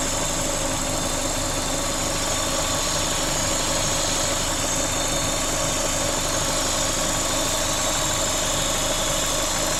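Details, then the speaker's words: Corsa VXR idling with its engine replaced a week earlier, bogging on acceleration with the engine light on: constant airy hiss louder than the engine; a vacuum leak that seems to come from the top of the engine, boost solenoid or inlet manifold suspected, found to be a cracked cam cover. "Definitely got a vacuum leak. Right, so I'll just spray it with brake cleaner. There's a boost solenoid down the back as well. It does sound like it's coming from the top here somewhere."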